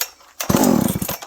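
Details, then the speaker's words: Dolmar 7300 chainsaw after a Husqvarna 266 Bearclaw exhaust pipe replaces the choked stock muffler, possibly running richer now, started with choke. A short, crisp burst of revs picks up cleanly and drops back without stumbling: strong throttle response, normal running. "Oh, that's good. This is a good running saw. I know why guys like these. They're good saws."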